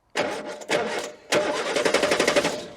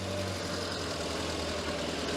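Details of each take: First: Morris Minor unused for 9 years, no battery, fuel line disconnected, cranked by bridging the starter: three bursts of steady cranking with even compression, never catches; turns over reliably but the pump is empty, no fuel. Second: Morris Minor unused for nine years, running with a bit of choke: steady, even low idle with a smooth rumble and no knocks or misses; normal idle.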